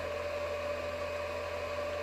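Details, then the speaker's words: Alinco DM-30T switching power supply, cooling fan before replacement: a steady airy whoosh with a thin constant tone, a substantial fan noise. The fan is being swapped for a 60mm 2000rpm Nanoxia Deep Silence fan. "so let's take a moment to listen to the noise of the fan"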